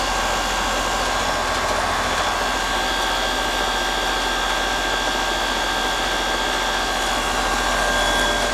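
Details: Heat pump about 6 years old, after its rotted liquid line drier was replaced and moved outside, running in heat mode on a cold day with suction pressure about 60–61, slightly low: steady even fan rush with a faint constant whine. Normal running.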